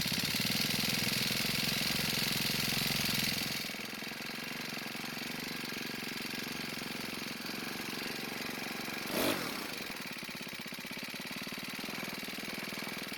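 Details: Cub Cadet four-stroke trimmer, partly warmed, idle speed raised: revs high, then drops to a thin uneven idle and dies on its own. Lean; carb adjustment likely needed.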